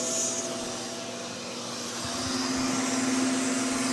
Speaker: So that's on speed number one. As you turn it up, the suction increases.